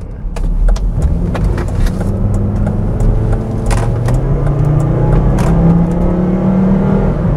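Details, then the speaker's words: 200,000-mile P2 Volvo XC90 2.5T five-cylinder turbo accelerating: smooth note climbing steadily under load, feels solid above 3000 rpm though slow, no misfire or knock; normal acceleration. "the engine does sound good that is something but it is not a confidence inspiring suv"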